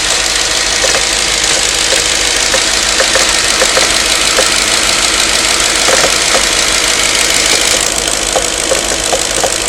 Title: Knocking noise after warm up..can anyone tell me?